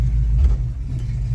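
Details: 1979 Mercury Capri V8 on the road: deep, even rumble pulling with no knocks, ticks or rattles; engine sounds fine, though a loose suspension sleeve clunks elsewhere.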